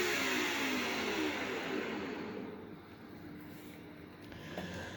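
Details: Phantom upright vacuum switched on, after a warning that it does not sound the healthiest: even, steady motor rush with smooth brush-roll hum, no rattles or knocks; brush roll spins and suction is excellent.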